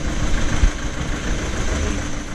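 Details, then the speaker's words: Diesel Skoda Octavia idling low and lumpy with uneven thumps after clearing codes; misfire persists, code P0201 injector circuit open cylinder 1 returns, faulty injector confirmed and replaced. "let's just start it up and see how it goes still got the misfire"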